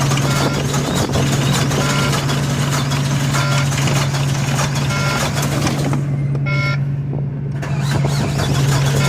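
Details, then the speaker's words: Volvo diesel with 286,000 miles, cold start at about 2 degrees; fires up and settles into a steady, even low rumble at idle, with intermittent beeping in the background; normal cold idle. "how dare you um she fired up hey"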